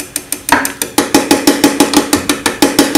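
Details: Common rail injector on the bench, driven by an MM03 mini tester at 120 V in continuous cycle mode: crisp, even ticks about three per second with a slight ring. Normal injector pulsing, steady and clean.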